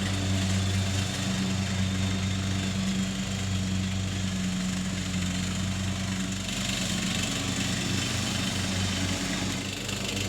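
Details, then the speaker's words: Troy Bilt mower, revived after about five years parked and carburetor cleaning, fresh oil and filter, mowing: steady, even single-cylinder drone holding speed while cutting, no misses or knocks; normal running under load. "It's no Super Z, but it'll mow."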